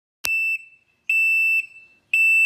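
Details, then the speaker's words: Can-Am RT motorcycle with intermittent parking brake problem, no parking brake motor engagement sound heard: repeated long high-pitched beeps, about one per second; parking brake not engaged warning, battery being charged to test. "Now this time it's beeping. When it does that, it's like the parking brake is not engaged."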